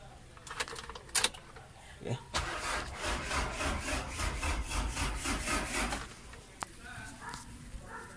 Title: HARD START ENGINE ANUNG SIRA